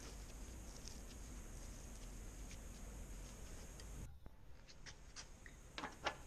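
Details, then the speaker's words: Bulls Carbon Pro road bike, unused for several years, drive-side bottom bracket bearing turned by hand after removal: rough, grainy rasp with small irregular ticks from sand and wear inside. "we stripped it out, and the drive side bearing was very gritty. As you can hear, there's sand and wear in that."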